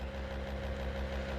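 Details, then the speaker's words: 1963 Corvair with new Racers electric fuel pump kit just installed, first power-up before test drive: quiet, steady low hum with no clatter or surging; no leaks seen, though zero fuel pressure noticed afterward. "I hear it. I'm not seeing any leaks. Pretty quiet."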